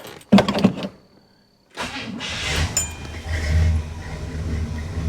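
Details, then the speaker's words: 1965 Cadillac V8 started after a fresh oil change, given a couple of pedal pumps: short crank, quick catch, then a steady low idle without tapping or misses. The oil light is on briefly; the engine sounds healthy. "Oil light is on. That should go out relatively quickly. Perfect. Sounds healthy. Sounds great."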